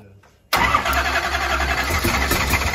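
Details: Mullet's 9.3L SMX big block first fire-up; short crank then catches instantly into a loud deep steady lumpy idle, starting and running properly.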